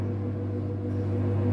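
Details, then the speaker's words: Samsung Digital Inverter Eco Bubble 8x6 washer on spin-only cycle, about 15 minutes remaining; steady low hum with a faint motor tone growing louder as the drum gains RPM; normal spin ramp-up. "Now machine is running, spinning, increasing RPM."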